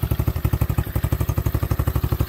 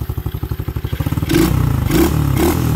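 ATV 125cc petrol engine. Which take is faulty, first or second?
first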